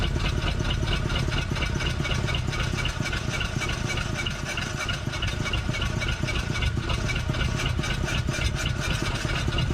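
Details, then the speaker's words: 1947 Ford Coupe flathead V8, first run in about 15 years, held wide open: rough choppy drone instead of a smooth V8 note, coughing back; running on some cylinders from a stuck intake valve. "So you see how I was coughing back? Clearly we got an intake valve stuck on one of these cylinders, and that's why I didn't pick up."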